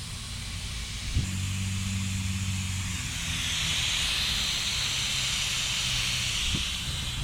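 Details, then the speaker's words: Turbocharged budget build on Holley Terminator X with a cheap 76mm eBay turbo, intake pressurised to about 20 psi: a steady, loud air hiss over a low hum. Boost leak from an o-ring with about half of it missing. "this isn't going to take care of all of our problems but about half of this o-ring is missing it's actually kind of impressive"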